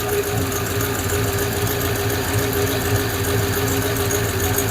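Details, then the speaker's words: Hemi V8 Plymouth Duster idling, heard from the rear after alternator work. A light, uneven ticking of about three or four per second over the rumble. Owner wonders if the alternator is making the noise; the cause is unconfirmed. "Huh. What is that noise? Is that alternator making noises?"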